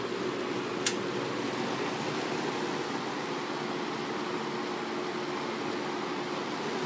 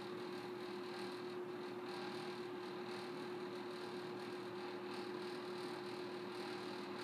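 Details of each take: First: May 1985 Kmart 20" box fan model K-223 with McMillan motor, on high speed; smooth steady rush of air with faint even hum, no rattle or wobble; running well. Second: May 1985 Kmart 20" box fan model K-223 with McMillan motor, on low speed; steady low motor hum under the airflow with a faint loose rattle; owner plans to fix the rattles.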